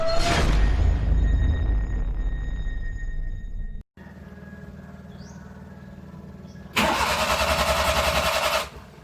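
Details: Suzuki F6A Multicab engine: two bursts of normal-speed cranking at an even rhythm around four per second, never fires; cranks but won't start.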